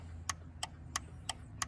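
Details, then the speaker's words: 2013 GMC Sierra/Chevy Silverado farm truck with left brake light stuck on: sharp, even clicks about three per second from flasher relay inside dirty fuse box; fuse box suspected of short, cause unconfirmed. "the the flashers located internally inside the box you can hear it when it goes you can hear it in there"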